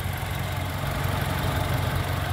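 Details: 2012 Toyota Kijang Innova G Luxury, 2.0L (2000cc) 1TR petrol engine at idle: low, even hum with steady beat, no knocks, misses or rattles, very quiet like a sewing machine, dry engine with no seepage; healthy normal idle.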